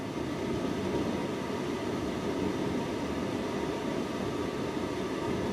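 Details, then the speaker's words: Tumble dryer with broken program dial: steady even motor whir with no drum tumble or thump behind it; motor is fine but spinning free because the drive belt is missing. "so the motor's fine there's just definitely no belt"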